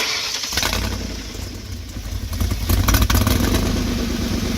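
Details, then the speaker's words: 2007 Ford E150 Econoline 4.6L V8 with 13 codes and black smoke, before oxygen sensor replacement: long crank, then lumpy, uneven running that wants to stall. Hard start; new Bosch O2 sensors later cleared the problem. "the next thing we'll do is want to start it to see what it sounds like they say in general Reiner if it'll stall"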